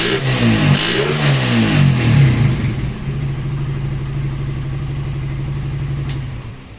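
Engine blips up through a few revs, then drops to a steady, even idle with no pops or misses; it sounds healthy.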